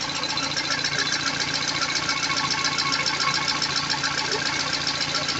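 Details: Peugeot 206 CC S16, right after first start following hydraulic lifter replacement and new timing belt: fast light ticking, three or four a second, over the idle; lifters clattering until oil pressure builds.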